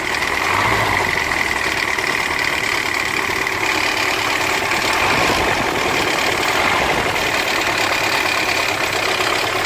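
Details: Mercedes M115.920 petrol engine idling: busy, rattly high-pitched chatter over a steady low hum, timing chain noise.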